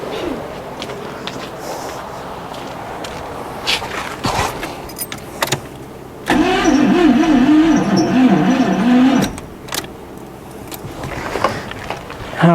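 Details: Abandoned Pontiac Firebird V8 after its brake booster line was fixed, on a booster pack with a doubtful connection: the starter grinds it over for about three seconds in a fairly steady rhythm but it never catches. The cause is unconfirmed.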